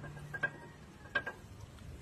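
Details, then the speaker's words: Toyota Avanza front lower ball joint rocked by hand: two sharp metallic knocks about a second apart from joint play; owner complained of heavy clunking over bumps and slight pull; stabilizer link and rack end also worn. "ito nakikita natin yung bul Jo ni Sir May alog na po Ayan may tunog na siya may play na po ito mga"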